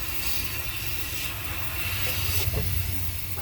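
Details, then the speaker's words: Refrigerant leak on a Toshiba Carrier VRF indoor coil: loud, steady hiss with low rumble; factory-defective coil. "It's all the way on the back. It's a little teeny tiny leak."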